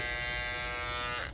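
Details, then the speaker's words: Andis GTX EXO T-edger clipper after replacing the broken blade bracket: clean steady high buzz, even pitch, no rattle or chatter, then off; gap gone, blade seated, running smooth. "now we ain't got no more Gap the blade on there is already SI nice we back in the game yeah buddy things running smooth too"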